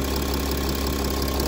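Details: VW Touareg that had no communication with the ECU, now running after repair; even steady diesel clatter at constant idle, no misses or surging, normal idle.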